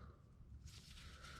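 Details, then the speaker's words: Bobcat skid steer with Kubota V2203 diesel, won't start after a 10-minute shutdown; old worn fuel lift pump barely squirts fuel, and when priming stops a wet hissing gurgle as air is sucked past the worn diaphragm; new pump to be fitted. "sound, it means the air got sucked in. Yeah, you don't want to hear that. That means membrane is not holding the pressure."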